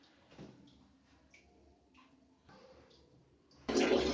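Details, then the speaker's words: Electric geyser whose water flow was low, after cleaning the lines with a wire and refitting the PVC connection to the inlet, angle valve opened: a few quiet taps, then a strong steady rush of water; normal full flow at the outlet. "Guys आप देख सकते हैं कि अब ये PVC connection लगाने के बाद में आउटलेट से पानी पूरा फुल आ रहा है, पानी पूरी तरीके से आ रहा है।"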